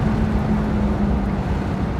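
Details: 1973 Mercedes-Benz 450SLC after a Pertronix Ignitor 1885 install fixed a no-start, with the factory ignition control and tach wire removed; while driving, a smooth, steady drone of constant pitch with no stumble or misfire. Normal running.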